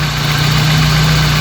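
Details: 1992 BMW 318i idling after A/C compressor bearing replacement: steady, smooth idle hum with no bearing growl or rumble from the front of the engine; the noise from the old compressor bearing is gone, normal idle.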